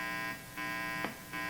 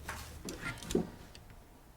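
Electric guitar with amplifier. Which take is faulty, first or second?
first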